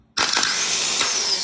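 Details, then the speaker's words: Remanufactured starter for a 2012 Honda CR-V 2.4L, bench-tested off the car on a jumper pack before installation: a sharp snap as it engages, then a high, smooth whir that spins freely and winds down; a good starter. "There you go, you guys can see, that's a good starter."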